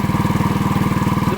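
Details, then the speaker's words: Yamaha Vega ZR after replacing the timing chain, which was loose and causing a rattle; even, steady idle thump with no chatter on the chain side, the rattle gone; normal idle. "Kalau sebelumnya tadi bunyi kemericik di bagian sini ya, bunyi itu sudah hilang ya."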